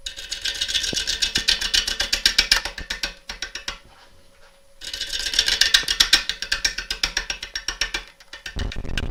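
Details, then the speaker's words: Lathe turning a gnarly crotch of possibly beech wood with a gouge across an interrupted cut: quick, even taps of about four a second, with a short pause, then resuming. Normal sound of the tool meeting wood across gaps. "Each of those little taps you can hear, let's just go back to the overhead. I think you can see through the through your screens there the air that's being cut, but actually every dick that you hear is actually the wood being cut."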